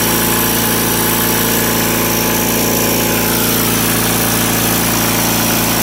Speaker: so so doesn't skip a beat an interesting thing to note about this is that for whatever reason cupcadet governed these engines at uh 3600 rpm wide open